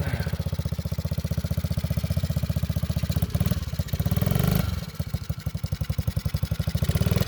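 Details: Vintage Honda Z50 mini bike, restored after years sitting in a field and barn, ridden in gear: even, quick single-cylinder thump rising and falling smoothly with throttle, no knocks or rattles; healthy engine.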